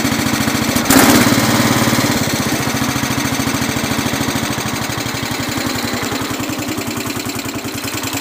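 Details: Cub Cadet 107 single-cylinder cold start on full choke, with a new fuel filter and fuel line. It catches after a short crank and settles into a steady, fast, even putt, a little smoky at first and then running well.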